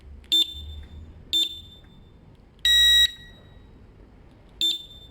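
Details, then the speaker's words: Triumph TT600 salvage motorcycle, battery with no power reconnected before first start: sharp high chirps about a second apart, then one longer piercing beep as the fitted alarm triggers on battery connection, showing the alarm works. "I said a second I hooked up the alarm the battery alarm went off so the alarms working"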